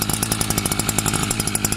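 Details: Newly bought two-stroke brush cutter (scythe engine) just started from cold. A fast, raspy putter at about ten pops a second, rich and slightly uneven; still running on choke while it warms up.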